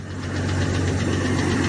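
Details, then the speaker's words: Ford 300 (4.9L) fuel-injected inline-six at idle after adjusting the hydraulic valves: steady rumble with a faint regular light tick from the top end. Not an exhaust leak; owner suspects valve spring collapse. "The tick's still there. Can you hear that? Not the exhaust tick, but it's not a tick. here. If anybody knows what the hell this sound is, what's causing it, it's not an exhaust leak."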